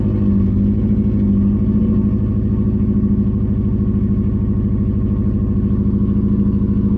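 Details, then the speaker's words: Subaru Impreza that sat a while, restarted after struggling to start: idle lurches and chugs with an uneven loping beat and repeated exhaust dropouts, a bad misfire; owner suspects very low fuel since it keeps dying. "alive it's got a misfire it's got a bad misfire"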